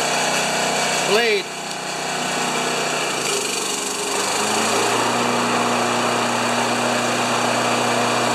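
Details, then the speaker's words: Honda HRA214 mower running with a horrible loose metallic rattle underneath; owner unsure if clutch, rear metal baffle or grass scraper, found to be the blade clutch plate installed upside down. "thank you okay that horrible rattle uh sometimes I think it's sometimes I think it's the clutch and sometimes I think it's that metal baffle I got on the back there or the grass scraper I don't know but it's time for it to go on the Hoist"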